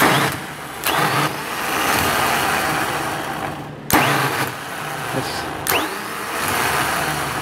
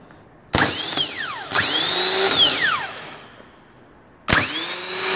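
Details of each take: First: 10-year-old starter from a 2008 MaxxForce 7 diesel, bench tested in a vise: repeated bursts of harsh, rough, uneven grating growl as it spins; worn starter dragging on worn bushings. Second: New rebuilt starter for a DT MaxxForce diesel, bench tested against a 10-year-old MaxxForce 7 starter that growled and dragged; three quick spin-ups, high whine climbing fast and coasting freely, smooth with no drag or grinding; healthy starter.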